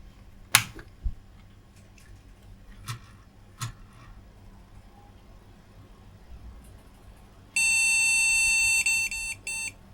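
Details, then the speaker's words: Car-boot retro PC on the bench with a suspect graphics card, fan not working: after a quiet stretch, a long high beep then a few short beeps; POST code for no graphics card detected. "again it's saying there's no graphics card could be a problem with this graphics card I don't have a picture"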